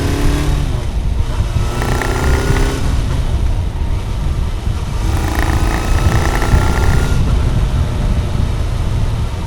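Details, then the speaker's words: Kawasaki GPZ after disassembly, about 500 km of careful run-in, first hard throttle: engine strains with rattly pinging clatter instead of pulling; detonation knock under load, suspected lean mixture or too much (non-adjustable) ignition advance. "most ez ó kopogás kopogásos égés detonál a motor úristen"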